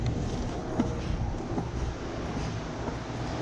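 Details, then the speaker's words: 2003 Honda Civic Si EP3 with RSX-style fan switch wired to an ignition-powered fuse: steady even whoosh of radiator fans switched on with ignition, no ticking, rubbing or wobble; fans running normally. "So once there's ignition, I can flick my fans on."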